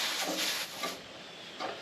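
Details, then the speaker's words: Refilling a 1 lb propane cylinder from a larger tank with a refill adapter: brief sharp hiss of gas for about a second, dying away as the adapter is loosened off the cylinder; normal propane release, hence PPE. "now again you're going to get a little bit of a spurt of propane here and that's why you need the PPE"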